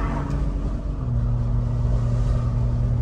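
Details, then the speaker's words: BMW B58 turbo after electric wastegate actuator relearn cured limp mode (codes 123432, 123437) and two boost leaks fixed; sounds slightly different, rev settling to low smooth hum, no hiss or flutter. Normal running. "I don't know if it just sounds different while I was fixing this problem I also found two boost leaks so my car is sounding a little bit different now pretty happy with it guys"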